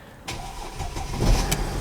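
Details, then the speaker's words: 2008 Mercedes ML320 CDI that cranked but would not start, plastic smell complaint, found with a wrong, undersized battery that was being charged: a brief crank, then it catches and settles into a steady low diesel rumble. "And there we go. See her? She's running. Absolutely running."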